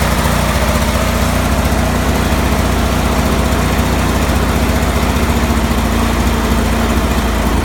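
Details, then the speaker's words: Cub Cadet 3184 mower with Kohler CH18 18 hp twin-cylinder engine: uneven, lumpy idle with pulses wandering around three to four a second; rough idle, cause not pinned down. "Cub Cadet 3184 with a Kohler 18 horse CH18 weird idling issue."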